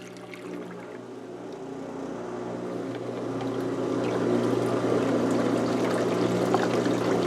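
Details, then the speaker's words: LG WM0642HW washer after drain pump repair, test on drain and spin with water poured into the drum; steady low motor hum climbing gently as water gurgles away, no grinding or rattle. The drain pump runs normally and the trial succeeded. "This is the drain and spin. It's ready. It's clicked. And it's going."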